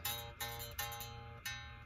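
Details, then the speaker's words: Les Paul bass after adding neck relief (about .012) to cure back buzz between fretted note and nut, action lowered again, 13th fret: five plucked notes ring clean and sustain evenly, no buzz; appears fixed. "okay so it appears this back Buzz was pretty well fixed"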